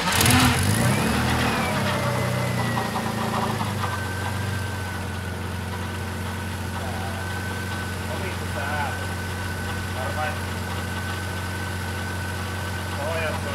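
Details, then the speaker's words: BMW E30 with newly assembled M52 turbo engine on Megasquirt, at its first start. A steady high whine holds pitch over the idle: the power steering pump is whining from air in its ATF fluid. "That's quite funny sound. What it is doing? There is air inside the pump."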